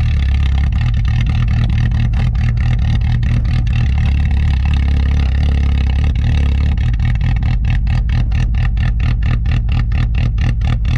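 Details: "Rescue" Tercel wagon (1983) idling cold at about -6°F wind chill after sitting a couple of weeks; loud, steady, low tractor-like chugging with no knocks or squeals; normal cold idle.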